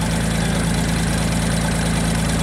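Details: JLG 260MRT scissor lift engine, with an oscilloscope on crankshaft position sensor and ignition coil control: small engine holding a steady, even idle with a consistent low thrum, no stumbling or cutting out; normal idle.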